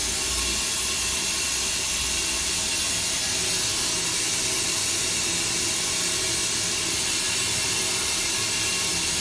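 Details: Multi-storey car park: steady loud rushing hiss like water forced hard through a pipe, running non-stop for about 24 hours, quieter outside; source unknown.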